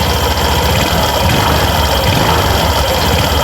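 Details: Suzuki Burgman Street scooter revved with the torque drive and pulley set removed: even, clean drone with no noise. This shows the crankshaft is fine and points suspicion toward the torque drive.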